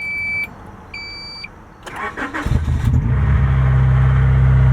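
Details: 1991 Honda Prelude with intermittent no-start, after replacing the main relay and sitting a week: two chime beeps, a brief crank, then it catches promptly and settles into a steady even idle; a clean start, though smoky.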